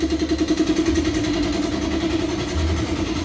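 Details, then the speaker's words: Honda Karisma motorcycle, idle screw set around three to four turns, throttle lowered: idle surges and sags unevenly and won't hold, feeling shaky. The carburetor is normal; the fault is the leaking tap. "Nah ini kan enggak mau langsam kan enggak mau langsam kondisi mesin itu kayak terasa berebat-bbet"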